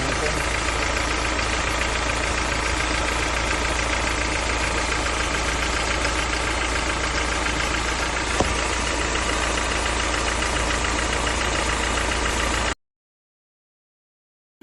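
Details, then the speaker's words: Toyota Fortuner 2GD diesel at idle, compared for suspected blow-by with smoke coming from the dipstick: steady even clatter with no misses or knocks; engine runs fine despite the smoke, considered normal. "pero yung andar niya goods na goods yung andar niya Walang problema"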